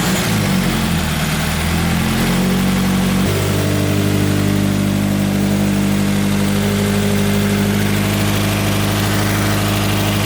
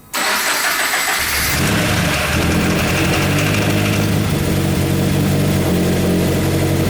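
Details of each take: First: 2013 Subaru BRZ with a 2015 donor FA20 engine swapped in, new clutch friction disc and timing cover gaskets: smooth, steady idle after about 5 minutes with the cooling system bled, no misses or knocks; normal idle. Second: Freshly swapped 2015 FA20 engine in a 2013 Subaru BRZ, first start after priming, cranks, catches and settles into an uneven, shaking lumpy idle with a dull knocking.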